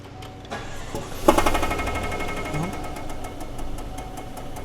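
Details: V8 truck that backfires only on startup, plugs and wires reportedly replaced: cranks and catches with a sharp bang, then settles to an uneven, loping idle with a stumble; a misfire backfiring, not internal knock.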